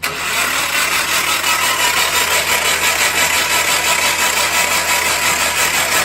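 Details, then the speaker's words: Project Miata pulled from a storage unit, cranked with spark plugs removed to blow out oil put in the cylinders and avoid hydrolock: fast, even starter cranking with a hissing whirr and no firing. "Yeah, I just want to crank them over. It's gonna blow oil everywhere. It'll hydro lock with that oil in there."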